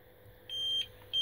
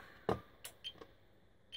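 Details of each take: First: APC Smart-UPS 750VA giving two sharp, steady high-pitched beeps while unplugged and on battery at about 55-65% load during calibration; its old, heat-worn batteries go flat in about three minutes, to be replaced with Yuasa NP7-12. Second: APC Smart-UPS 750 after new Yuasa NP7-12 12V 7Ah batteries fitted, running before mains reconnected: clicks then a single half-second high beep; on-battery operation as expected.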